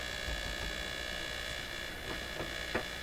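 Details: PYE 39HC shortwave receiver on the AM band with an outdoor antenna, while swapping replacements for its weak 6K8 mixer tube: a steady low buzzy mains hum under the hiss, unchanged by tuning.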